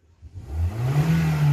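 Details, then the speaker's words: Toyota Corolla after repair of a misfire on acceleration that returned despite ignition coil replacements elsewhere. The engine picks up cleanly from idle and revs smoothly with no stumble, and the rpm no longer oscillates. Normal throttle response. "a resposta de aceleração nesse carro e olha como é que ele deve bonitinho lá ó olha que bacana show de bola né"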